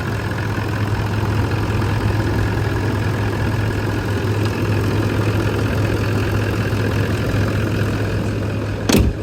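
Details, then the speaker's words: Damaged, mold-ridden low-mileage Toyota Land Cruiser 200 project: smooth, even idle with a steady low hum, no knocks, ticks or misses. Engine purring nicely; normal idle. "it's purring nicely. So it definitely is a project that can be saved, because it would be a shame not to."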